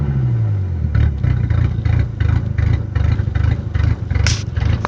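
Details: Misfiring 10vt engine: uneven, lumpy idle with irregular low pulses two to three a second and occasional stumbles; engine misfiring with rough idle.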